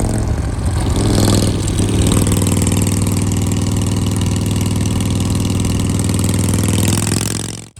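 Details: Shovelhead with an S&S Super E carb, after re-jetting and new throttle and idle cables (an earlier miss was suspected to be too much fuel), catches, blips once, then settles into a steady, even, low thumping idle with no misses or knocks; normal idle.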